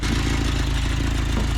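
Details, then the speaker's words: 1979 Chevy LUV project truck with carburettor, recently revived, idling: rapid, even, sharp puffing tick keeping time with the engine, from a leaking exhaust manifold, not the engine. "If it sounds like it's ticking, it's got an exhaust leak, guys. That ain't the engine, that's the exhaust."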